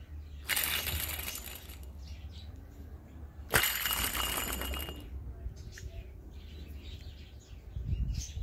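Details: 2013–2017 Honda Accord loose tensioner pulley spun by hand: two short, dry gritty rasps, each fading as it slows; worn tensioner pulley bearing, the cause of a supercharger-like whine from the engine bay.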